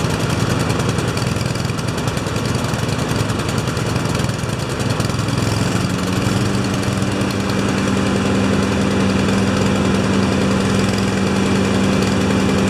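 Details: Two Honda mowers with automatic choke, started after a tune-up (blades sharpened, oil changed, spark plugs cleaned, new air filters, wheels oiled): steady putter, a second engine joins partway, and both hold an even beat with no misses; healthy.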